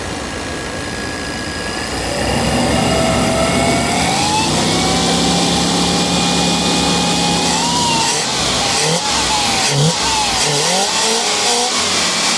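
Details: 5.7 Chevy V8: a thin, high whistle at the throttle body rises and falls with each rev over the V8 rumble; the source of the whistle is still unknown.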